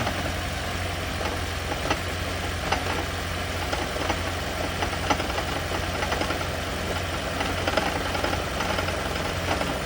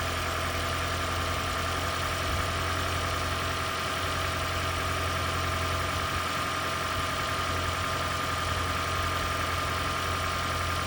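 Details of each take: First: Toyota/Lexus hybrid (CT200h/Prius) engine at a rough idle with an uneven metallic rattle roughly once a second, a "death rattle" attributed to the EGR system. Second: Toyota/Lexus hybrid (CT200h/Prius) engine with the EGR valve closed all the way: a steady, even idle with a constant low drone and a faint high tone, no misses or knocks. It runs smoothly, though it reportedly won't pass emissions this way.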